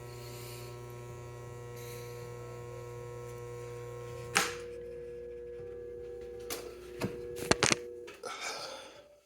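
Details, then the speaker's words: 1930s-40s Robbins & Meyers 16-inch oscillating fan, model B16A6-O: steady buzzing hum with no whir, the motor energized but its shaft locked and not turning; cause unknown. "It was just going, but I couldn't turn the shaft. The shaft was locked into place."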